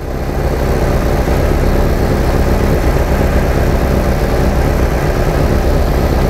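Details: 1987 VW Vanagon misfiring and stalling despite many replaced parts: loud idle with an uneven, stumbling beat under a steady drone; computer cycling the coil on and off, misfire traced to the coil fed without its ballast resistor.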